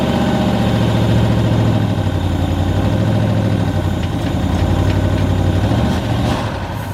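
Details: 1995 Ford Mustang 5.0 302 V8, 5-speed manual, just started after 15 years stored, kept alive with ether: deep idle that wavers and surges unevenly, never settling, as lifters pump up; rough idle, cause unconfirmed.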